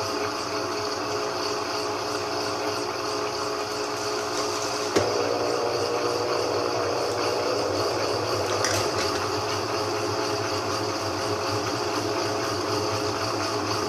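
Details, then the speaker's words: GE 15 kg washing machine after repair for drum banging against the sides: smooth even motor and water swish with no thumping as it spins up to full speed; running normally. "agora pelo meu ponto de vista eu não consegui ver e ouvir barulho ainda nem acredito que o barulho foi embora"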